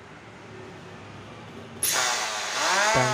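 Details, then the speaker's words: Electric hand planer, reassembled with the drive belt fitted, spins up to a high whine with a coarse rough buzz and excessive vibration. The drive motor alone ran smoothly; the cause is a worn, oval bearing seat at the small pulley. "masih sangat kasar dan sudah di Getaran yang berlebihan teman-teman nah ini masih ada permasalahannya yang harus kita cari dulu"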